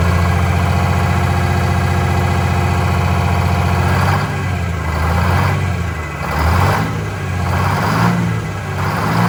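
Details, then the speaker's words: Vintage diesel bus in cold weather, cylinder cut-out test: even run turns lumpy when one cylinder is cut; number 2 cylinder changed the smoke level, so its fuel injector is to be replaced. "That's the one that changed the smoke level. That's the one that was barely."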